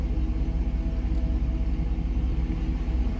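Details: Jeep Grand Cherokee WJ on LPG after gas-system tuning, with tired injectors that were flushed: deep, even, low rumble with a steady pulsing beat and no misses, knocks or hiss. Smooth, stable normal idle on gas.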